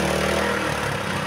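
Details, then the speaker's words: Honda GX160/200 single-cylinder petrol engine: with throttle released it races high and steady and won't drop toward idle; governor misadjusted. "Jadi setelah dihidupkan gejala mesinnya ini kalau kita lepaskan gasnya itu naik sendiri ya, tidak bisa diturunkan gasnya."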